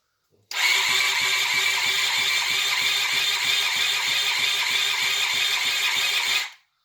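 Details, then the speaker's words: Budget project motorcycle after electrics work and fuel added; six seconds of fast even starter churning at about three pulses a second with no firing catch; crank no start. "I'm slowly getting there."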